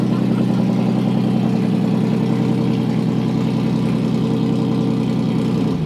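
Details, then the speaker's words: 2008 Toyota Hilux TRD 1GR-FE V6 during supercharger build, headers only with no exhaust and rear oxygen sensors out: loud, raw, even idle with steady low drone and crisp exhaust pulses, no misses; healthy. "Dude, that sounds fucking insane. Listen to that. That sounds tough. It's got a bit of a V6 sound to it though."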